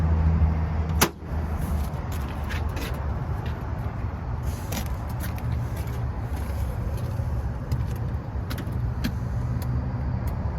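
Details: Lennox belt-driven blower after replacing the grounded motor and the contactor: a clunk at switch-on, then a low, steady, even hum with no rattle or squeal, drawing about 6.9 A against a 7.5 A rating: normal blower motor running.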